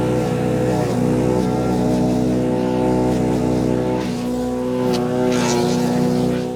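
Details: Wood chipper chipping branches after a broken ear was welded back on; steady drone holding pitch, with no bogging. Healthy chipper under load.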